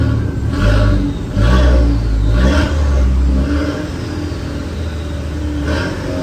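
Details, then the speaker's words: Manual-swapped Mk4 running after first start, heat working and no fluid leaks: short even throttle blips about once a second, smooth deep note rising and falling cleanly, no knocks; normal revving, engine running very well and quiet. "yo this thing is running way too good right now way too good the engine is so quiet"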